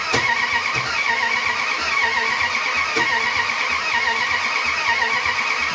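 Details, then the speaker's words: 1971 Plymouth Satellite Wagon with replacement engine, exhaust loose causing banging; starter churns slowly and unevenly, never catches; ignition timing off, distributor rotor found way off at top dead center; cranks but will not start. "there's something going on here it is trying but where are we timing wise is the problem"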